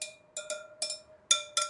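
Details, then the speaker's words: 2023 Triumph Tiger 900 Rally Pro at its 12,000-mile service: spokes near the valve tap-tested, ringing at close pitches, one slightly tighter; checking for uneven tension. "they're two very close tones so this one is tighter than this one okay now these two sound to be very similar to me so hopefully you know they'll all be in within range"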